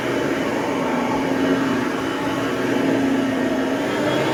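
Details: Hoover Platinum UH30010 upright vacuum after cord replacement and service, running on carpet: steady, even motor hum with a constant mid-pitched tone and no knocks or scraping; running healthily.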